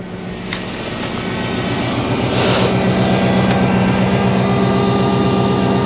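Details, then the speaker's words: V8 Hemi (about 370 hp) on a used car being inspected for purchase: a smooth, even rumble that builds and holds steady, with no knocks, ticks or misses. The engine sounds healthy. "sounds good sounds really good actually not bad at all"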